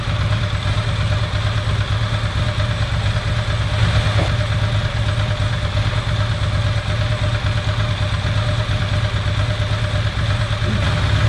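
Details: Ducati ST4S V-twin during throttle body setup, warm with thermo fan on, 12.6 V at idle: steady, even low-throb idle with cooling fan whirring; runs smoothly, normal idle.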